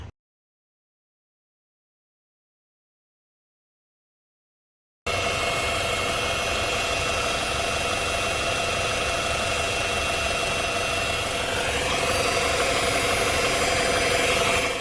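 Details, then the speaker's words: BMW N20/N26 engine, owner suspects the throttle body: with ignition on, a steady high-pitched whir holds over the engine noise and rises a little near the end; throttle body motor likely source. "There is, and whenever turn on the ignition, there is a noise coming out of here. There's a sound, or there's a really weird sound coming out of this, and I'll try to play that sound for you if I still have that clip."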